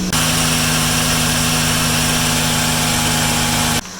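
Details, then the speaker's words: 2015 Chrysler Town and Country 3.6 Pentastar, over 200,000 miles, after replacing serpentine belt, tensioner and pulley: smooth even idle with steady hum and no belt squeal or chirp; healthy. "let's go fire it up and see if our sque is gone the moment of [Music] truth no squeal"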